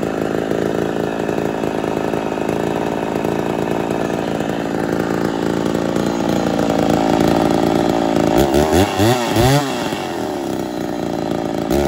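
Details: Ported Poulan 245A chainsaw with bow bar, first start, not yet at full temperature: high scream whose pitch surges and wobbles instead of holding; a little lean, low jet/idle may starve and stall, needs tuning under load.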